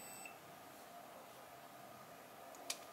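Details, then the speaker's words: Samsung 32-inch LED TV, sound normal but no picture: multimeter continuity beep and probe clicks show the capacitors connected to the panel are shorted. "Oke, kapasitor terluar ini memicu bunyi bel. Itu berarti ada kemungkinan terjadi korsleting."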